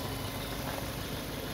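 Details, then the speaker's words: Citroën Xsara VTS Phase 2 after renovation, starting instantly and idling steadily with no squeal or rhythmic knock; earlier awful engine noise was traced to a failed damper pulley: normal idle. "voilà elle fait du bruit cette voiture c'est nettement plus agréable est nettement plus normal"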